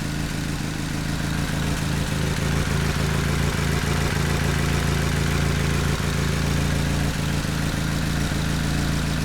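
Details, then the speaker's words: Nissan Sentra SE-R SR20DE petrol engine idling with a low steady thrum broken intermittently by brief stumbles, sputtering and skipping, then idling fine again. "look like it's skipping the F all doing it earlier that little sputtering now it's idling fine again"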